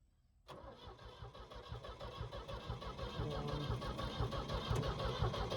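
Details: Skid loader with a past fuel delivery problem: slow, labored cranking around two beats a second, engine turns but won't fire; extended cranking, no start.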